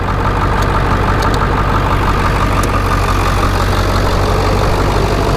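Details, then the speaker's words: Healthy Ford 7.3 Powerstroke diesel with cut exhaust, no blow-by or smoke; deep, steady rumble with even firing and no knock, miss or shake, normal idle. "it's a healthy run in seven three take it home enjoy it"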